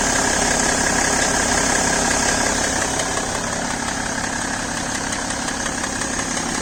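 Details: BMW E60 525d diesel on fresh 5W-30 oil, idling cold after start: quick, fairly regular light tick over the rattle that disappears once the engine reaches about 80°C.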